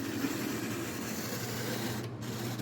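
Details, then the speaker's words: Manitoba Santa Fe F unit model train locomotive from a traded lot, first test on track: struggling to start, steady dry rasping whirr, a little noisy; needs cleaning. "And oh, it's trying. A little noisy, needs cleaning."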